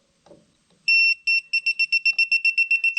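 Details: Propane leak detector bench testing an RV hot water tank: shrill beeps speed up to about four a second near a gas fitting; detector picks up leaking propane.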